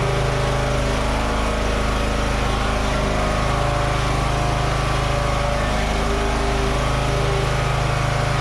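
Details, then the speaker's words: Free Toro 14.38Z zero-turn mower, previously not running with a no-spark problem, now running: a steady, even engine note at constant speed with no misses, knocks or surging. It smelled slightly smoky, possibly from external oil or burning. "it runs and works yeah all right Victory"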